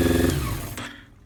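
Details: 1990 Honda CBR600F being revived, after starter fluid start; runs briefly then revs sag and fade unevenly toward stalling with choke nearly off; owner suspects air leak; erratic idle.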